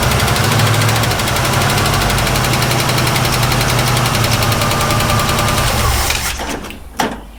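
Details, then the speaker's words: 1967 Ford Mustang cranking, no start; steady rhythmic crank about four turns a second with no catch, starter has seen better days; fuel pump later found not pulling gas, tank dry; slow cranking. "But I do think this starter has seen better days."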